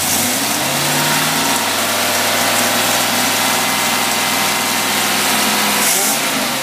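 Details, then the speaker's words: Rochester boat carburetor on a running engine under load on the rig: steady, even note at constant fast speed, no knocks or stumbles; running cleanly under load. "okay now we're going to go the full load mode wow you can hear that thing kicking that load back there here it goes looking good looking good"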